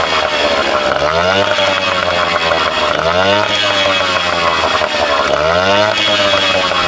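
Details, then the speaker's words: Vintage small two-stroke outboard bought cheap, restarted, possibly a little loaded up, and pumping cooling water. A crisp buzz rises and falls cleanly as the throttle is blipped: it runs and revs on its own normally. "So, yeah, it was kind of uneventful. I just started up and ran. So I'll see if I can show you guys that again. Probably gonna be a little loaded up, but just listen to her pipe."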